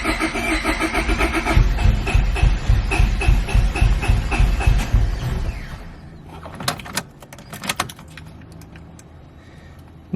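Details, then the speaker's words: Honda Civic B20 after welding a hole in the block from a broken VTEC oil fitting, ECU unplugged during work; steady starter whirr with even compression pulses but never catches; owner suspects injectors need fuel, unconfirmed. Crank, no start. "i'd have to check but it sounds like there's no fuel so let's see"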